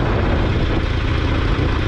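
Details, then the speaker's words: Twin-rotor Wankel rotary motorcycle, still cold after a ride, fuel level unknown; steady, deep, slightly lumpy buzzing idle with even loudness throughout; normal rotary idle. "Oh, I was in the wrong gear again. There's your Lopi Wankel idle"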